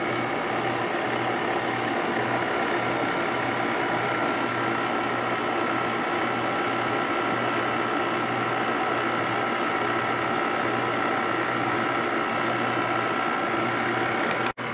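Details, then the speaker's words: Window air conditioner, second of two identical Sharp units, starting up for spring; smooth, even compressor hum with steady fan whir and faint constant tone, no rattles or knocks: normal running. "So let's go ahead and start it up. I love the way these air conditioners sound."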